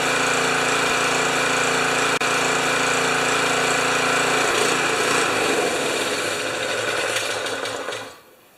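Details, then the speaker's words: Honda HS720 snow thrower single-cylinder engine after two carburetor cleanings, on-machine and ultrasonic, and main jet remounted: steady beat about three and a half a second with only a slight surge, no backfire, before winding down. "it's got a little surch just like 99% of pressure washers and little blowers and but it runs and it doesn't backfire anymore likes to choke"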